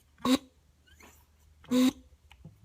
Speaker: the valve that's on the inside releasing pressure so once you get to 16 lbs it'll actually bleed off air pressure um it's supposed to do that